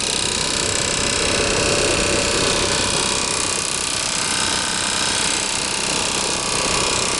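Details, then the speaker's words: New RV under warranty, furnace blower: fast, steady metallic rattle over a hissing blower, about four beats a second without letup; loud, and the owner believes something is inside the blower wheel, not yet confirmed. "the sound is loud and there's nothing in this page this outer King that it's causing that it's something inside the blower wheel it can't be anything else but something inside the blower wheel"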